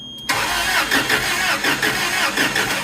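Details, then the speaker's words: Toyota 4Y engine in a 3K forklift, reported seized, now with fresh oil and a battery hooked up: steady, even cranking about five to six turns a second with no binding, turning over freely to build oil pressure; oil light then goes out. "Crank it. Just trying to get some oil up through this thing."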